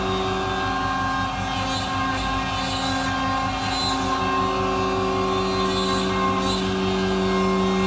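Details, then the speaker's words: MultiCam 3-204 CNC router, 5.5HP Colombo spindle at 16,000 rpm cutting an intricate design with a small tool at 225 in/min, vacuum pump on; steady high whine, even pulsing cut, constant pump hum; smooth and healthy. "as you can see even with a small tool and an intricate design the machine is still very efficient very fast"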